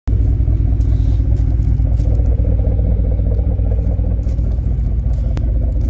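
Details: 2010 Ford F-150 4.6L 2V V8 at idle: deep, uneven rumble with a loose, chattering rattle, loudest on cold start and under throttle, fading once warm; owner suspects piston slap or wrist pin in cylinder 3, or the torque converter.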